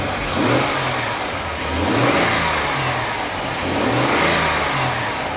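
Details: Hybrid with about 175 thousand miles, in gear, given a little rev: engine swells smoothly up and back down in even blips about every two seconds, clean and steady; healthy revving.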